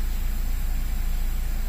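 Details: Honda Jazz, aircon checked, in gear with brake pressed at idle: smooth even low drone, no knocking or rattling; normal here, though engine reportedly rattles with aircon on and in reverse.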